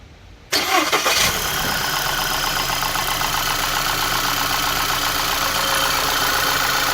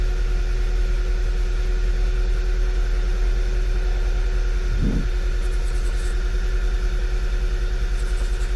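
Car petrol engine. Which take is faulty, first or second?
second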